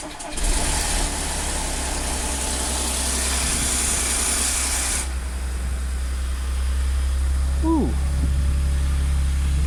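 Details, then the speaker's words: Audi S4 B8 3.0T supercharged V6, first start after repairing bank 2 P0018 cam correlation fault where the timing chain had jumped a sprocket: sharp metallic chain rattle for about five seconds at start-up, settling to smooth idle once the dry tensioners fill with oil. "that noise went away quickly there's no oil in the um tensioners or anything"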